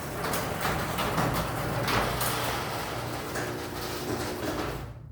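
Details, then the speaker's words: Garage door after springs replaced by someone else: rumbles with scattered pops and creaks throughout travel; cables pop and crack, worse than before the repair; cause unknown. "Like I said, cables make a lot of popping, cracking. I have no idea what's going on with this door."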